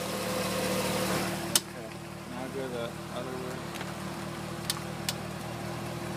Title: Corvette wheel popping noise while turning sharp